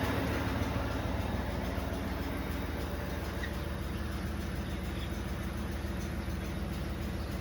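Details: New 2026 Ford F-150 with Coyote V8 at idle: light metallic jingle over the rumble as torque converter bolts slap the divider plate, occurring whenever towing a 1500 lb boat or parking on a hill.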